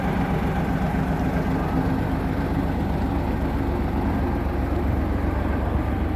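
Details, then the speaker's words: Diesel truck tractor with twin exhaust pipes, over 800,000 on the clock, DPF/EGR systems disabled: deep steady idle with even beat, no hunting, no misfire or white smoke; can idle all night. Normal idle. "เครื่องเดินเบาอย่างนี้เลยนะนิ่งๆอย่างนี้ตลอดติดเครื่องได้ทั้งคืนก็อยู่เงี้ยเครื่องไม่มีเร่งช็อปเบรกไม่ยิง"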